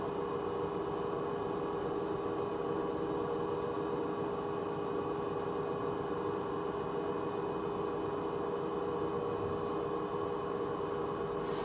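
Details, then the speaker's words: Hoover H-Wash 300 Plus washer on an empty spin at 600 rpm, steady hum with a tone swelling and fading about once a second; pulsing began on reaching 600, owner unsure if bearings are going. "Is it me, or did that start pulsing at the start of the spin? When I got to 600, it started pulsing."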